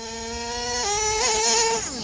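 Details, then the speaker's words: HPI Savage nitro monster truck, two-speed transmission tested after repair; clutch too loose, engaging at any throttle. High nitro engine screams up, then pitch drops cleanly as second gear engages and pulls on; shift point about right, winds out a bit then shifts. "Is that a shift? Yes, that is a shift. We are shifting. And it seems to be shifting"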